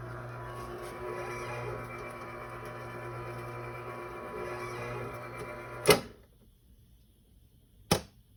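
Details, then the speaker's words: Garage door opener after fixing the motor's start capacitor, which caused a start delay: steady low motor hum about six seconds then a firm clunk at stop; runs normally with no delay. "It turns out it was. There is no longer a delay when you press the button."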